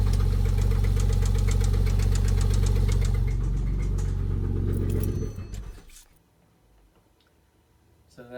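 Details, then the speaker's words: Porsche 997 911 at idle with a sharp, regular knock about three times a second, then shutdown; IMS bearing first suspected, belt removed to rule out water pump or alternator, metal chunks in oil, thrown rod bearing found. "immediately told him can you drop the oil pan and look inside you know that doesn't sound good sounds like IMS pairing or something"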